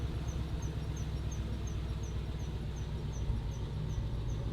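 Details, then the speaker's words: Ford Mustang Boss 302 idling in first gear: a faint high chirp about three times a second at wheel speed from the rear left. The brake rotor, caliper and ABS ring wobble, showing a bent rear axle. "And that gives us a much better idea of what's actually happening here. It's done bent."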